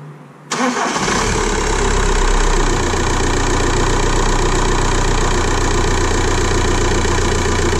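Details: 2006 VW Golf 1.9 TDI (BKC) after cam timing was corrected for extended crank and P0341: quick crank, then it catches and settles into a steady, even diesel idle with no knocks or misses, a normal healthy idle.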